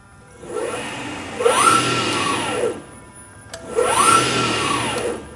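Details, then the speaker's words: AC50 motor with Curtis 1238 controller, 72 V nominal, in normal mode with regen enabled: whine rises as it spins up, then drops off quickly and evenly, twice over. Normal regenerative braking spin-down. "we can hear it regen. Stop that motor pretty quick."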